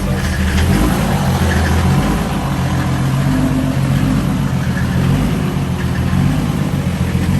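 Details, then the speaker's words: Mercedes OM606 diesel swapped wagon idling after replacing a rusty fuel tank that caused low fuel pressure: steady even diesel clatter with deep rumble, no misses or knocks; engine loud but new pump much quieter, normal idle. "it's really loud but again look how nice and quiet this pump is"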